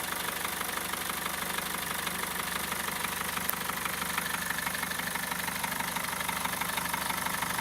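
Diesel idling with a sharp, even knock about twice a second standing out over the clatter, cause not identified.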